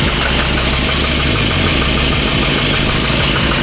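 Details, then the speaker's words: Classic car with all engine mounts dead, engine jumping around, exhaust leak noted: loud idle with an uneven, lumpy low-end pulse while run to check leaks and bleed coolant; rough idle, cause not pinned down. "The engine idling a little rough. I can't even hold the engine and stop it. But the engine mounts jumping all over the place."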